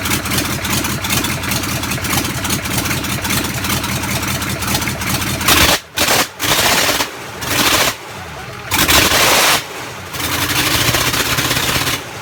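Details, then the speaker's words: Land Rover Defender V8 conversion, first start from cold with no exhaust fitted and no coolant (dry fired): open-piped V8 barks and crackles through blips and idle, firing evenly with a crisp steady beat; healthy normal running. "I don't think my neighbours appreciate it, but that's one of the nicest sounds I've heard in a while, is that starting up from cold."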